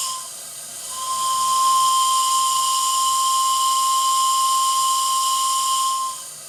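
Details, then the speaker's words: RC steam tug Côte d'Émeraude (Stuart D10) deep-toned steam whistle with a very progressive attack: a single steady note swells in over about a second and holds clean; the whistle sounds properly. "Vous remarquerez que ce superbe sifflet au son grave a une attaque très progressive."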